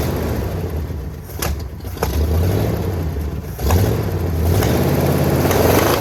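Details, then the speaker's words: 1979 Jeep J20 engine after sitting a year, with uneven compression of about 80-110 psi and about 70 on the inner cylinders, choke closed and primed; lumpy, uneven running stumbling as revs rise and fall, sounds really funky, and the owner plans to repower it. "so some real in uneven compression um so that meant the motor ran it just sound really funky"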